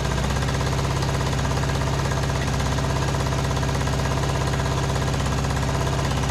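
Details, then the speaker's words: John Deere D110 riding mower, after carb spray flush: harsh, uneven chugging with a hammering beat about three per second instead of smooth idle; misfire traced to spark plug only hand-threaded, loose. "Alright, well, I went to go put the wrench on it, and you guys can probably see this might have been a little bit of the issue. It was just like hand threaded in there, so I guess let's go ahead and pull this thing out."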